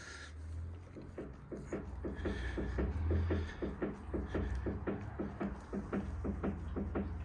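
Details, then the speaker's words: Ford Fiesta TDCi, body rocked by hand at the front: a dull, fairly regular clicking knock about twice per second from one front corner; suspected worn drop link, not confirmed; front suspension knock. "you can hear it clicking knock him and basically what I found is that it's this side that's actually causing the problem and I think it's the drop link"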